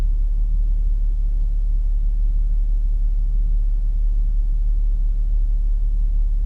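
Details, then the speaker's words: B8.5 Audi S4 on cold start after Jackal Stage 1 flash, new plugs and refitted boost temperature sensor; steady low rumble with slow, slightly uneven pulse, idle sitting noticeably low. Low idle on cold start. "It does idle low for a cold start, eh? That's the first thing I notice is that idle's pretty low."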